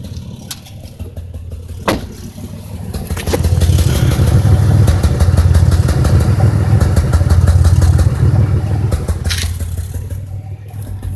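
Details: 2005 Impala 3800 V6 starts and settles into a stuttering idle with a hiccup about three times a second. P0305 is set, and the #5 spark plug, wire and injector were replaced without success. Cylinder misfire.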